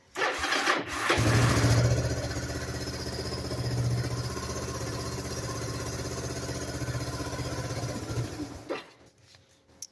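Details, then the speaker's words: Kawasaki KLT160 mini Prairie Dog ATV, alive after years sitting, with the constricting filter dealt with: catches after a short crank and settles into a steady, even single-cylinder idle thump. "But anyways, after I don't know how many years it's been sitting, it's finally alive."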